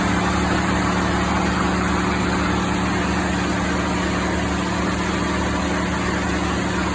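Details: 2016 Ford F-150 5.0L, 62,000 miles, idling with A/C on: steady idle under a strong, even cooling-fan roar as fans kick on high from excessive A/C high-side pressure; suspected expansion-valve blockage, compressor cycling off quickly.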